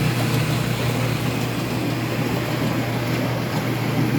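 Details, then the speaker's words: Speed Queen commercial washer after a drive belt change, in the agitation cycle with the transmission turning slowly and the agitator moving back and forth. Low steady hum with water swishing evenly and no knocking or scraping; normal agitation. "it's really the translation it's turning slowly so the agitator on the top is agitating"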